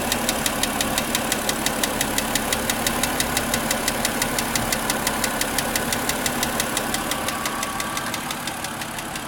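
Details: Car engine at idle on a chilly, rainy day, second start of the day: sharp evenly spaced ticks about three per second, louder with throttle, suspected mechanical, gone after 15–20 minutes; cause unknown.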